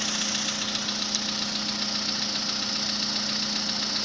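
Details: VW Polo Sedan built March 2014, 67,000 km, Liqui Moly oil; cold-start knock that began around 65,000 km. Fast, light knocking at about three to four per second over a steady cold idle hum; cause not pinned down.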